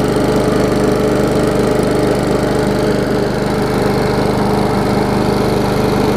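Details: Old Murray 22-inch push mower with transplanted ~3.5 hp Briggs & Stratton (originally 5.5 hp), first run after years unused, new muffler and fresh gas, smoking off: steady, even single-cylinder chug at constant speed, no misses or surging; running fine.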